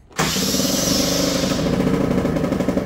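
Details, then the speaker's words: 50cc two-stroke scooter with manual choke, cold start after non-starting demonstration: choke lever opened, catches instantly and settles into busy even buzz with slight flutter; normal cold start on choke. "now let's go ahead open the choke lever much easier Starts"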